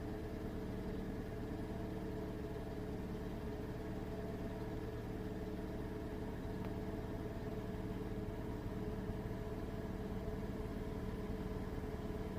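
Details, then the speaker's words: 2011 Ford Ka 1.2 reported with a slight misfire (scan showed P0203), started after sitting about four days, before repair: idle at a slightly uneven beat, about two pulses a second, with an occasional faint stumble; intermittent misfire at idle. "he's definitely he's doing his every now and then"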